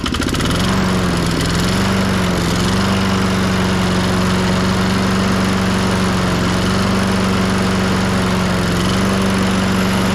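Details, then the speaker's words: 1998 Ariens 21-inch self-propelled mower, engine VLV60, after carb cleaning and new coil: steady drone hunting up and down in pitch; surging, bogs under load, improves warm, fuel delivery or carb suspected, cracked fuel line at carb inlet. "but take a listen sounds much better it just surges"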